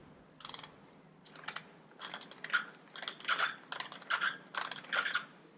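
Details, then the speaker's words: Traxxas Maxx 4S RC truck drivetrain turned by hand: scratchy clicking and thin squeak from a bearing by the spur gear, under the covers. "you hear that noise that squeaking noise"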